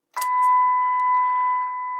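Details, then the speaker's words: Eddystone EC10 receiver after oscillator and dial alignment, tuned to 1400; a clean, steady tone with no hiss, warble or drift; the receiver is receiving properly. "that sounds pretty good to me"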